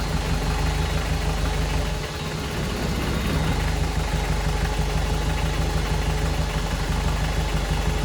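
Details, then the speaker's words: VW 1.6 NA diesel swapped into a Ford Ranger, first start after rebuild with new piston and head following a shattered cylinder 1 exhaust valve: loud rough clatter with frightening vibration, as if tightening up. Owner feared oil pump or camshaft seizing, but it seems to be fuel starvation from two leaking injection pump flat gaskets, blamed on cold weather. "oh I didn't like any of that it sound like it was tightening up yeah it's a vibrating a frightening amount"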